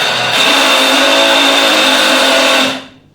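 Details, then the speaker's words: Morphy Richards Icon DLX mixer grinder running: loud harsh steady roar with buzzy whine, then winding down; runs but abnormally noisy and vibrating heavily, cause not yet found. "चल तो रही है, लेकिन इसमें कुछ दिक्कत जरूर है, क्योंकि ये आवाज़ बहुत कर रहा है, वाइब्रेट बहुत कर रहा है।"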